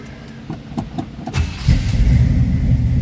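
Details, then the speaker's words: 1972 Chevrolet Camaro SS V8, electric fuel pump on. A few cranking clicks, then it catches at once into a deep, even rumble; starts easily. "easily this car starts great sounding cartoon"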